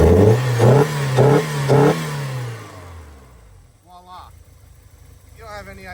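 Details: 1984 Porsche 944 after fixing a long-running poor-running fault that a computer swap had not cured: four quick throttle blips about half a second apart; engine picks up crisply and drops back cleanly, revving freely.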